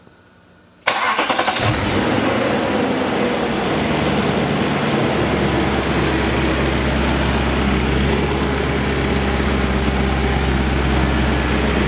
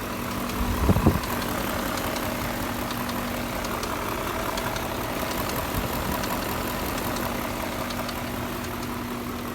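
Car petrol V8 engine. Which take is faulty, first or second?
second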